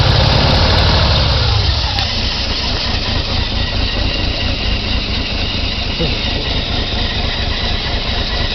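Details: 1990 BMW E34 520i, M20B20, LPG/petrol conversion, cold engine on petrol: fires after hard start into lumpy, stumbling, hunting idle; owner suspects failing fuel pump.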